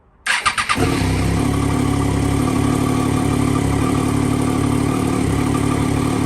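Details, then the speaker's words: 2009 Triumph Daytona 675 triple, crash-damaged salvage bike being rebuilt: starter spins briefly, then it fires straight up into a steady, even idle with no misses; healthy start. "I've just quickly cable tied it back into place, and as you just heard, it fired straight back into life."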